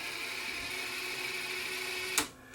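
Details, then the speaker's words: Sony TC-FX77 cassette deck that eats tape: thin steady motor whir with strained spindle hum, then a clunk as it stops; takeup spool very stiff even in fast forward, gummed bearing suspected. "and the takeup spool is really really stiff if I turn it by hand nothing happens you see even fast forward it's really really stiff so I got to figure out why that's sticking"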